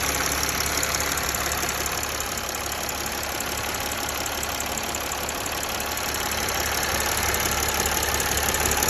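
Steady idle with a light, regular tick riding over it at about three per second; the source of the ticking is unclear.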